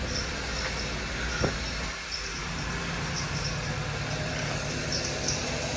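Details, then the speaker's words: 2003 Ford Taurus 3.0 started after replacing the drive belt idler pulley, with the belt refitted: steady, even engine hum with no ticks, squeals or chirps from the belt area. Normal running. "so now we're going to crank it start the car let's see make it nice here [Music] there we go"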